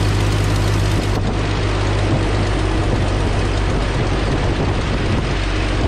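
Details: 1998 Jeep Cherokee XJ 4.0 six-cylinder after water pump replacement: steady, even low rumble at idle with no knocks or squeals; normal idle.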